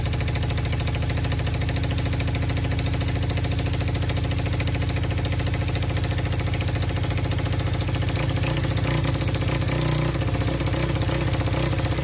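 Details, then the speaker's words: Free four-wheeler (quad) with non-working start button, started by jumping the solenoid; single-cylinder idle chugs unevenly at about three and a half beats a second with stumbles; rough running, carburetor needs fixing, cause not confirmed. "It runs, as you guys can see, but it has problems. So the next step is to try to figure out how to get the start button to work and to fix the carburetor."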